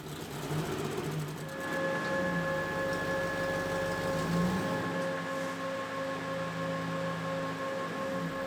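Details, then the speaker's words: Toyota 1UZ V8 swapped pickup cold start at about −7 °C after new injectors and spark plugs, battery disconnected for ECM reset: cranks, catches in about 1.5 s, settles to fast, even cold idle without stumble; normal. "so this is gonna be a cold start too so uh let's see how this goes"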